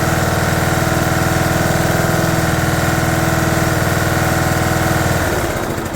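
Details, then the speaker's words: 2011 John Deere D110 mower, engine reassembled from boxed parts, restarted off choke, throttle cable not hooked up, expected to smoke: single-cylinder putters evenly about four beats a second, steady and smooth before easing off; runs good. "Okay, fire up, buddy. Wow, runs good."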